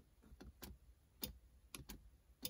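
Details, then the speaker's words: Honda Civic EK4 during a USDM 2DIN console wiring install: with ignition on, pressing the rear defroster button gives sharp relay clicks at uneven intervals, about six in three seconds. The defroster relay is switching normally. "on entend le relais là-bas qui claque."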